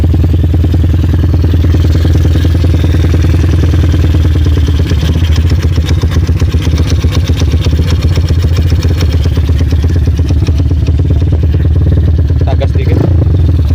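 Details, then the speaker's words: Honda Mega Pro-based CB 240cc single-cylinder, 5-speed stock ratios, PWK 28 carb, jets 35/120, throttle cable still pulled: deep, loping, choppy idle with some clatter, lumpy from high cam overlap. "Suara langsamnya seperti ini teman-teman, karena ini saya tutup biar saya ngomong kedengeran. Ini suara langsamnya putus-putus seperti ini kalau menggunakan overlap tinggi."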